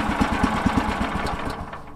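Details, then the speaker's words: Woodland Mills sawmill engine with electric key start, run with some throttle: chugging, uneven firing that fades and slows as it dies. Fuel starvation because the fuel valve was left shut. "We need the gas turned on. Yeah. Ain't got no gas in it."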